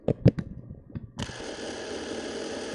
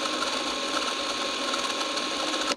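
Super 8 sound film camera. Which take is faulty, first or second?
second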